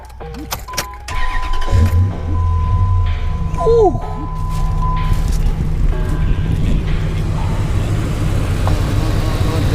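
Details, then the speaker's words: 2004 Dodge Ram bought with 40k miles, just fitted XS Power 6500 battery and CES 320A alternator; starter cranks, engine catches into steady even idle, no squeal or misfire, operating good. "Yeah, man. Thing operating good."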